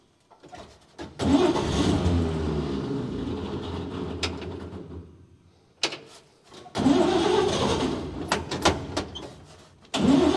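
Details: 1953 Chevy 3100 pickup's 235 inline-six, run again after years of sitting, now with a rebuilt carburetor and new wiring. The starter catches quickly, it settles into an even idle, shuts off cleanly and restarts twice; it starts and runs healthy.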